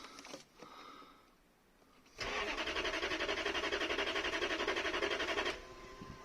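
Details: 1992 Lexus LS400 1UZFE V8 on its first start attempt after fuel pump replacement, on a cold night. Starter cranks evenly at about four beats a second for three seconds, but the engine doesn't fire.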